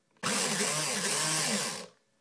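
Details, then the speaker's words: Airsoft AEG: short high-pitched whirring burst with rough gritty grinding as the motor spins up, after pulling the motor up slightly; grinding inside the gearbox, cause unknown. "see it sounds like it's grinding something there"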